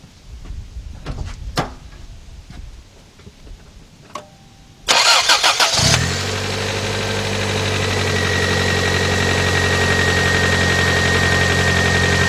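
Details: 1991 Toyota Corolla 1.6 after new cam and crank seals, timing belt, valve cover gasket and plug tube seals, fixing a severe oil leak and thrown belt: quick crank, catches immediately, smooth even idle, no knocks.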